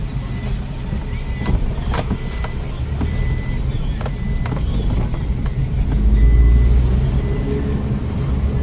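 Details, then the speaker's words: 2021 Maruti Wagon R that had P0302 cylinder 2 misfire, poor pickup and blinking check light, road test at 50–60 km/h after fitting another coil: engine pulls evenly, no rhythmic stumbling; misfire gone, check light still to be confirmed. "तो एकदम smooth चल रहा है गाड़ी load नहीं ले रहा है मिसिंग था गाड़ी में मिसिंग तो खत्म हो गया है"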